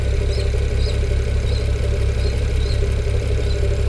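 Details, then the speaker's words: BMW E92 335i N54 with 17T hybrid turbos, no codes or warnings, a day after running fine: revs fairly smoothly but deep idle pulses about three per second with an uneven, lumpy beat; owner suspects a cylinder down on compression. "yeah so it revs pretty smoothly but it is not running properly"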